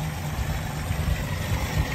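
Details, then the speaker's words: Holden HJ wagon V8 after sitting 8 years in a shed, running again after stripped distributor gear and linkage fixed: steady even low rumble with no knocks, misses or ticks; idles smoothly and sounds healthy. "had a bit of a play around with it this morning and she's uh banging like a champ"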